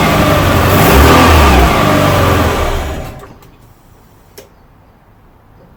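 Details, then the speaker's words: Fiat Barchetta after MAF sensor removal and cleaning: engine starts, runs roughly about three seconds, sputters and dies because the MAF sensor was left unplugged on reassembly. "Oké, laten we het een keer opstarten en kijken hoe het klinkt (motor start, sputtert en valt dan uit)"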